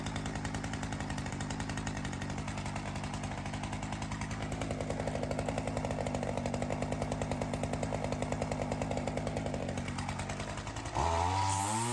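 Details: Ryobi CS30 two-stroke string trimmer with newly fitted aftermarket HiPA carburetor after tuning: crisp, even buzz holding steady, brief rise on throttle; throaty, high end consistent, much healthier than the previous carb. Normal running.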